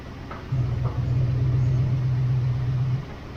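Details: 1979 Pontiac Firebird Trans Am, 6.6 big block, start attempt: starter churns about four beats a second for roughly two and a half seconds, engine never catches; reported noise possibly converter or engine, cause unclear.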